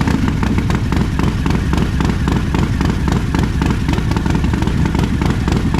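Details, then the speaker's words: Harley-Davidson after a roughly Stage 3 build with a throttle body, performance cam, stock heads and its exhaust, tuned: a deep, loping V-twin beat with a strong low rumble and an even firing rhythm, running healthy like a proper Harley. "Sounds like a proper Harley."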